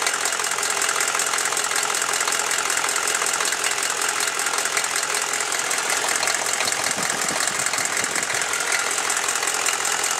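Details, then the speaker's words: Chevy 6.5L diesel warming at idle: loose, fairly quick tick about four per second over the clatter, appearing only once warm and worse after revving; owner suspects a valve or rocker arm needing adjustment, unconfirmed. "I mean, that just sounds like a valve to me, but I'm not too sure. Just by it doing it when it warms up, that kind of leads me to make it be a valve."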